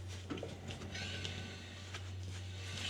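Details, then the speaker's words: Range Rover rear wheel spun by hand on the lift, the side opposite the driver's side with humming and play: turns quietly with no growl or grinding and feels tight; a healthy wheel bearing. "No noise on this side too."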